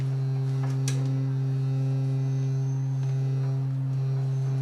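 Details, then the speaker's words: 1990 Mazda Miata: a steady low bass tone from a tone-generator app played through the stereo, with a raspy buzz from inside the door. The crossover box stuck to the inner door panel is vibrating. "That little box that I had to put in here, the crossover that separates the mids from the highs of the tweeter, there's a box in there. Anyway, I stuck it to the inside of the door, but it's vibrating."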